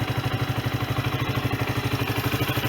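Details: Sinnis Bomber 125 single-cylinder motorcycle, 2661 miles, after service (new air filter, oil and oil filter) and new exhaust (from an AJS Cadwell) and gasket: even, steady putter at idle, no chuff, tick or miss; exhaust no longer blowing, runs as it should.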